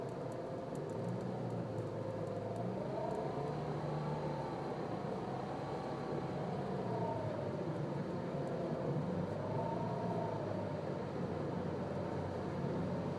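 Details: Nissan Cube registered December 2005, 7 years 8 months old at 51,000 km, sudden CVT noise: whirring tone sliding up and down with road speed over steady driving rumble; CVT whine.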